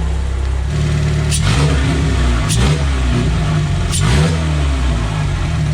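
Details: Porsche 996 with a K24 engine swap, first fire: smooth, even engine note with a few quick blips settling cleanly to a steady idle, no hunting or hiss. This follows work on a vacuum leak through the throttle body blade.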